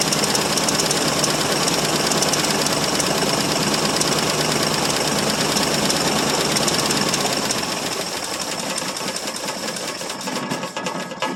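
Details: 1968 Mercury Monterey with a 390 FE two-barrel, cold start after sitting about 20 years, fuel poured into the carburettor bowl: ragged rattling run with a fast uneven knock near three per second, fading as it dies; rough running with knocking, cause not confirmed.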